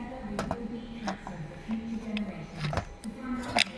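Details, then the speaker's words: VW/Audi 1.6 or 2.0 TDI water-cooled EGR valve jammed shut, causing fault light or limp mode: small actuator motor whirs in bursts with irregular sharp clicks, skipping over its nylon cog whose teeth are folded over and stripped. "what's happened the it's pulled the teeth off it it what it's actually done it's folded the teeth over it's a nylon cog"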